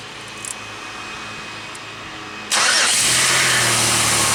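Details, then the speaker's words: Pontiac Aztek start during a battery voltage-drop test; quiet, then the engine catches almost instantly with a short crank and settles into a steady run; charging near 14 V; normal start. "you can see how strong the Aztek seems to start up it doesn't crank over long even when it's cold"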